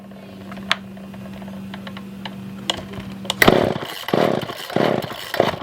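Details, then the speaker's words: Older Poulan 2000 chainsaw, long unused, on choke with start on after no-start: thin buzzing idle with stray pops, then ragged surges rising and dying; not getting real fuel pickup, later fixed by carb clean and trimming fuel line; fuel starvation. "so yeah so i don't think that we are getting any kind of fuel any kind of real good fuel pickup"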